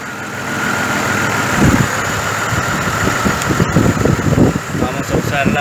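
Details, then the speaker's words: 2005 GMC Envoy 4.2 inline-six at idle: uneven, jerky stumble every second or so; misfire moved from cylinder 2 to 3 after swapping coils and that coil stays hot, so mechanic suspects a shorted ignition coil. "el hecho de que sigue caliente ese coil me hace pensar que quizás este cole está corto y este fue el problema"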